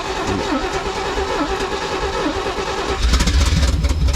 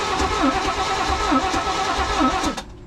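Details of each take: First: 1980s Chevy square body truck V8 running on fuel poured and sprayed in by hand. It catches and runs loud and lumpy through open headers, unsteady but holding together; a later backfire set it on fire. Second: 1980s Chevy square-body truck with fuel being squirted in by hand: slow, even cranking at about two compressions a second that never catches; the engine is flooded.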